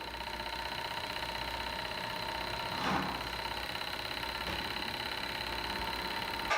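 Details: Two-cylinder Stirling engine, after cleaning and oiling bearings to reduce resistance, running on alcohol burners: fast, even mechanical whirr with steady clicking rhythm and no stumbles; spins freely and runs well.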